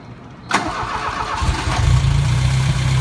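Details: Gehl 3510, fuel pump primed and clicking up to pressure first: brief crank, engine catches at once and settles into a steady low idle; normal healthy start.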